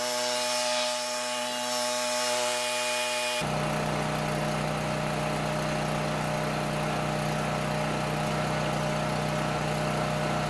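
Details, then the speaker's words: Coleman PowerMate 6560 generator, carb rebuilt but ran only on choke, fixed by putting carb gaskets in correct order; overfull gas-smelling oil also noted: brief start-up then steady buzzing drone at constant governed speed, 1000 W heater load available; normal running. "There you go, something as simple as the gaskets being in wrong order."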